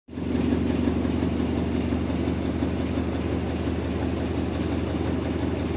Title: Washing machine sounds like a bus engine